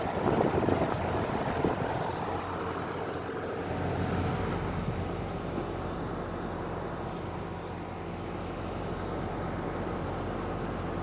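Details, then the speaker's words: New heat pump air conditioner, outdoor compressor unit switched on: steady quiet low hum under even fan whoosh, no knocks, rattles or squeals. Normal running. "i don't know if he can hear it running but it's pretty quiet but it is on right now"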